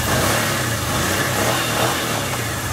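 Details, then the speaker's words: 2011 Kawasaki Teryx Sport SE, brand new, 750cc fuel-injected V-twin, no choke, starts right up: smooth note rising and falling evenly with throttle blips, no knocks or rattles; runs real nice, normal running. "So it just cranks up. There's no choke. Starts right up."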